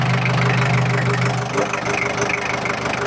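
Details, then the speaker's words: 1996 Daihatsu Taft Independent diesel, heard with the engine bay open at idle: steady even clatter, about three beats a second, no misses or knocks, no blow-by smoke, exhaust clean; normal healthy idle. "Ini suaranya masih ciri khas banget ya, masih belum ngobos. Aman."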